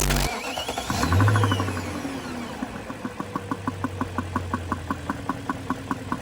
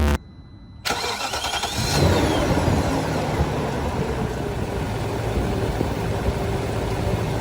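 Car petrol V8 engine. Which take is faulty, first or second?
first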